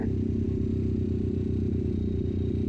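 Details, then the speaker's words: 1973 Honda CL350 twin with aftermarket exhaust, lean condition: throttle hangs around 3500 rpm after letting go, slowly dropping, with popping on deceleration; owner suspects a vacuum leak, before replacing intake boots and rejetting secondaries. "take my hands off the thing see it's still staying up there like 3500 rpm and it'll slowly slowly drop down to me that sort of indicates that there could be a vacuum leak"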